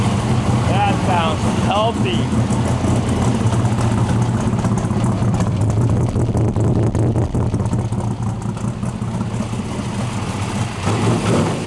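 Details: 1962 Mercury Monterey project car: steady, even low rumble with no knocks, misses or rough patches; engine idling smoothly and healthily.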